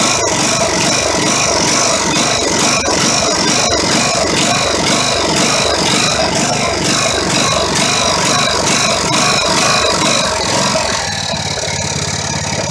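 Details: Poulan 19 hp tractor engine salvaged from a scrap pile, jump-started at the starter: single-cylinder engine chugging steadily at a fast even beat, partly under music; running normally.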